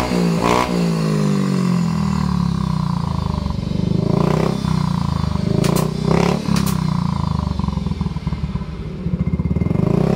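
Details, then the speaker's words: Yamaha Mio i125 scooter after replacing a cracked rear-wheel bearing: smooth, even engine note with light revving and no grinding or rumble from the rear wheel; runs normally. "guys guys Okay na po siya umaandar na kanina po kasi Basag ang bearing natin"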